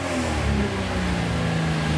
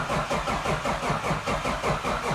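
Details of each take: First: 2JZ ITB Toyota GX81 Mark II at first start, small fuel pump: catches and runs with a lumpy throaty note and small throttle blips, firing on all cylinders and running fine. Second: 2JZ with ITBs in a Toyota GX81 Mark II, first start attempt after sitting ages with no oil: steady cranking about two and a half pulls a second without firing, cranking to build oil pressure, still no oil pressure.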